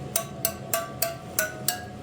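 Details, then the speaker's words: Kawasaki KX450F wheel spokes tapped to check tension: six crisp metallic pings about a third of a second apart, all ringing bright and alike; even spoke tension. "you can also kind of listen to your spokes it's kind of an old school trick and uh you they all should kind of chime the"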